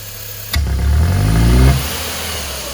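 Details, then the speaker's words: Ford car (Fiesta/Ka/EcoSport/Courier/Focus family) losing power, backfiring and using much fuel: engine blipped hard climbs slowly and sluggishly then drops to idle with faint pops; hesitant revving, cause not confirmed. "tá vendo pessoal ele demora muito para desenvolver e dar esses todos"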